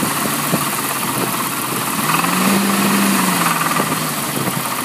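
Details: 1998 Jeep Cherokee XJ 4.0L inline-six, daily driver, idling: faint fairly steady knock; hard to isolate, owner believes it comes from the front of the engine, checked with stethoscope including flex plate; cause unknown.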